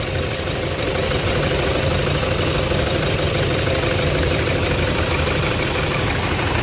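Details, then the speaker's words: Toyota Fortuner diesel, no check-engine light, starts fine cold but knocks more once warm: uneven, lumpy idle with irregular knocking pulses about three a second and heavy vibration, misfiring. "और बाहर आपको engine दिखाता हूं इर देख सते इजन कैसा पूरा मिशिंग कर रहा है पूरा ऐसा कर रहा"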